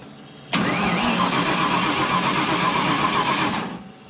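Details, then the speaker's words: Turbo Foxbody Mustang on its first start attempt, after the grounds were tightened and with timing close. About three seconds of steady cranking that never catches: cranks but no start. Owners suspect weak spark and a low battery. "Yeah. We got something not. It's spinning good, but it's not trying to catch."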